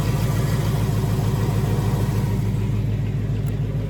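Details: 2018 Mustang GT with stage 2 Whipple supercharger, on dyno, fully warmed up, checked for typewriter tick: deep, even V8 idle with steady lope and no light ticking; healthy warm engine.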